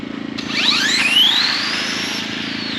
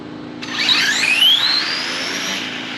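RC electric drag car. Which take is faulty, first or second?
first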